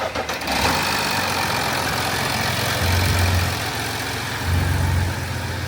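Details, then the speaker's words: 2007 Audi A6 3.0 TDI V6 diesel quattro estate (codes P106B, P1580, P1545; throttle valve sticking) at idle: revs hunt every couple of seconds with a ringing, phone-like pulse swelling and fading, untouched; cause unclear. "it sounds like a phone ringing crazy obviously no one's touching for all it's just drives all right just makes that sound"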